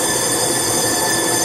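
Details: Steady, unbroken hiss with no rhythm during a pressure test on a Passat engine whose cam gear was hammered on; air escapes through the intake, pointing to bent intake valves.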